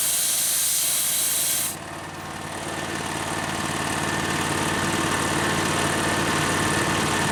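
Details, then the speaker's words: Harbor Freight V-twin air compressor pump, a new replacement for one that seized, engine-driven at decent RPM: loud sharp hiss of the unloader venting air at cut-out, then a steady run; it refilled from under 90 to 125 psi in about 2.5 minutes. Normal. "sound that you hear is the unloader it's venting out all the air it's not filling up the tank I need to drop the pressure so the tank can f"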